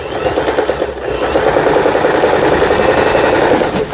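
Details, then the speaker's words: Heavily used Elna 220 sewing machine after repair of belt slack, lower-shaft gear timing and replaced needle plate: steady, even stitching patter at about three and a half per second, no knocks or binding; sews cleanly. "네, 아래실 위실 박음질이 잘 돼서 나올 겁니다. 소리만 들어봐도 알아요, 저는."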